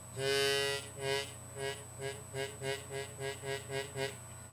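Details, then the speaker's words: Harmonica note with a rasping buzz on each note because a reed has moved off center in its slot. Reed centering is the fix. "sometimes during Transportation especially on Lower Keys on the chromatics the reads may get off center and begin to buzz"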